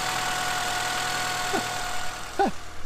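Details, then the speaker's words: Honda Accord with 183,000 miles, first start after sitting long: steady even idle with no knock or tapping, couple of brief chirps; engine running smoothly, no codes. "now that it runs and it's not knocking it's not you know it doesn't sound like there's marbles in the engine it actually sounds really good"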